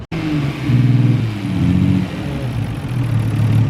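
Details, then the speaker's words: 1990 Nissan R32 Skyline GT-R RB26DETT inline-six, first start after fitting new injectors with factory fuel rail, runs unevenly with a stumbling pulse; suspected misfire, injectors being rechecked before coil packs, later runs properly. "doesn't sound happy all right so we've been having some problems this thing doesn't want to seem to like run right misfiring or something"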